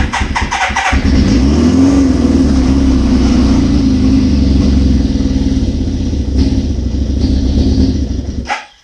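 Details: 1981 Suzuki GS650GL during rebuild with new battery, plugs, oil, filter and pod filters: engine catches and settles into a fast, steady burble on choke, running smoothly until shut off; normal running, small carb leak suspected.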